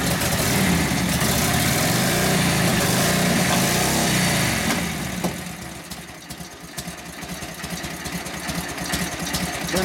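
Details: 1942 Harley-Davidson WLA 45ci flathead V-twin, after sitting a few years and tune-up, started without priming: fires straight up, revs, drops to steady even thumping idle without missing; normal running after start.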